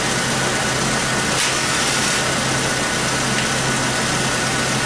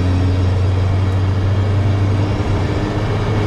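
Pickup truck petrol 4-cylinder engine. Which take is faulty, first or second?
first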